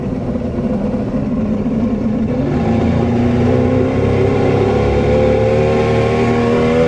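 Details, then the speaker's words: Outboard on a Javelin boat, on the water after carb cleaning: fires and runs smoothly, steady even drone rising slightly in pitch, no misses or knocks; normal running. "Sounds good so far."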